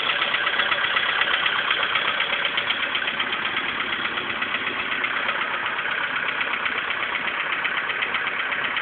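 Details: VW Polo Sedan engine before piston replacement. A steady, evenly spaced knock of about four a second runs over the idle, deep in the engine; cause not confirmed.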